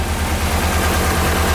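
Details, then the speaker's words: Straight-piped Nissan 240SX S13 idling after resetting to top dead center on compression to fix breaking up and popping: steady, even low idle, regular pulse, no knocks or misses, still some smoke; running healthy. "so there we go i did it it actually sounds even better than when i started before"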